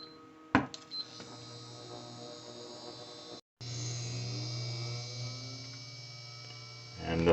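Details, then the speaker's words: Newly installed Frigidaire 30-inch induction cooktop at power boil: steady low electrical hum with faint buzzing and zapping crackle from water boiling in the pot; normal operation. "that little zapping sound that you're hearing that's the sound of the water underneath here"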